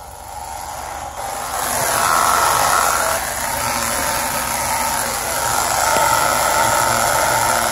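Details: 2017 Honda Civic on jack stands, in gear with the front wheels spinning: raspy, rhythmic rubbing screech from a CV boot dragging as the axle turns. Not tire or fender liner contact; cleaning and lubricating the boots fixed it.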